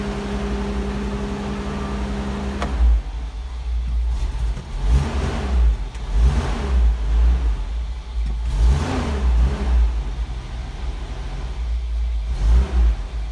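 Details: 1984 Toyota Land Cruiser 45 series 2F petrol, choke out, starts then stalls after two minutes: weak uneven idle surging and sagging every second or so; failing ignition coil, ballast resistor had been removed.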